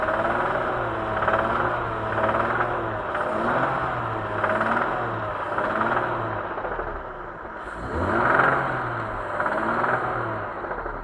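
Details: BMW E39 with M54 engine: several quick throttle blips, each rising and falling in pitch, with a dull clattering knock riding on the revs; the engine knocks when revved.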